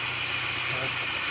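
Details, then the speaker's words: Manual 2004 Honda Jazz GD petrol engine at idle, engine bay, steady even hum with a light hiss and no stumbles; running smoothly, normal idle. "ตนี้ครับเครื่องนิ่งๆนะครับไม่สะดุดกับน้ำก็นิ่งๆเลยครับ"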